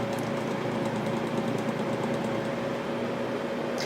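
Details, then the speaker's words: Cheap room fan, oiled twice without effect, runs steadily with a rough grinding note under its hum; owner thinks it is noisy because it is cheap. "my apologies for the grinding noises i'm not really sure what is up with this fan over here why it's doing that i've oiled it twice it doesn't seem to get rid of that noise i know it's cheap fan that's probably why it's making all that noise"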